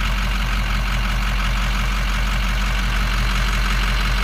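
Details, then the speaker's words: Diesel truck with a faulty instrument cluster and burnt-out lights: heavy idle with an uneven, occasionally missing beat; the miss isn't entirely tied to switching the lights, cause unknown. "It's not perfect. It's like whatever it is isn't absolutely related to the lights, but it's something's up."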